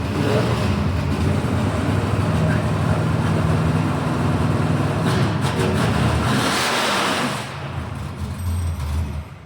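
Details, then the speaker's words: Chevrolet Monte Carlo drag build, 415 V8 with Black Widow exhausts, primed and started: it fires and settles into a deep, lumpy, even rumble that eases back as revs drop, with no knocks; healthy start. "Hell yeah, she sounds good."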